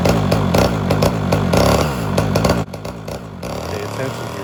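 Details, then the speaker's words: Homelite Super XL chainsaw with rebuilt Tillotson carburetor and swapped cylinder, during first carb tuning; some smoke from carbon buildup. Two-stroke buzz runs rough and uneven, stumbling and sagging: misfire, cause not yet identified. "appears as though we got a misfire there you'll still see a little smoke from the carbon buildup but the big issue right now is a misfire"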